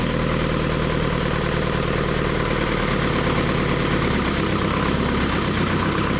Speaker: It's running. Here's what we're seeing on the dash. Great oil pressure running at about 1,200 RPM. Oh, she sounds good.